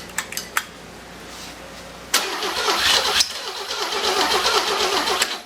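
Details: Six-cylinder engine, first start before being boosted, plug wires without boots: a few clicks, then a loud ragged burst of cranking that churns unevenly without settling into a steady idle; cranks but won't fire.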